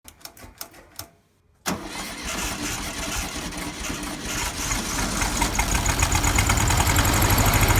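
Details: 1971 VW Beetle after swapping a 30/31 PICT for a cleaned 34 PICT-3 reproduction carburetor. It cranks a few times, catches, then settles into a choppy, uneven idle. Owner suspects the jets; rough idle, cause unconfirmed.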